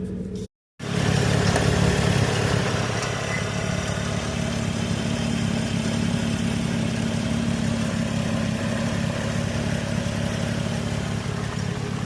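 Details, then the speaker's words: 2007 Pontiac G6 GT convertible, revived from storage, idling 45 minutes warm at 208°F coolant: steady idle with raspy puffing tick about three pulses a second on the low drone; gnarly exhaust leak. "It gets hotter when you rev it up. Boy, that exhaust is gnarly. And not in a good way."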